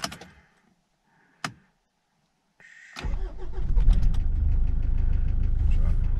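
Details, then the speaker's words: Mitsubishi L200 engine idling after start, heard from outside: loud knocking/ticking, a steady sharp knock about three per second over idle, pointing to rod knock (worn big end); oil level checked and fine. "it's quite a loud knocking ticking noise whatever whatever you want to call it"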